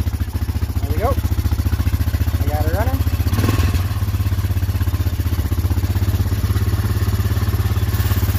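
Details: Honda Foreman ATV after a carb cleaning and rebuild for not staying running: quick, even single-cylinder putter holding a steady idle without stumbling or dying; now stays running cleanly.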